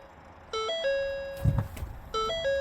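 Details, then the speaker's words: Vehicle with push-button start and suspected dead battery, hood open: two-tone ding-dong chime about every 1.5 seconds with a clunk between; hood-ajar warning. "But now, you know, of course, got hood a jar because it's I opened up the hood."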